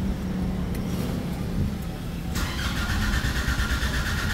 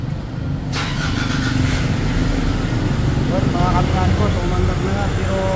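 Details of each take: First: Nissan Navara diesel converted to push-button start, check-engine light on; the starter churns steadily but it never fires; a scan shows five trouble codes, and the fault is attributed to a defective boost sensor. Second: Nissan Navara diesel that was towed in because it would not start, with a defective boost sensor. A sharp catch, then a steady, even clatter with no stumbling. It starts and runs normally again.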